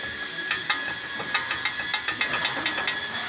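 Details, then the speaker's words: VW Amarok with steering wheel play and suspension noise: worn inner tie rod joint at the steering rack knocks with quick metallic clicks, three or four a second, as the linkage is rocked. "quando ele cria folga aqui na que aqui dentro ele tem uma trabalha assim ó a hora que ele pega ele folga assim ele começa a bater ali"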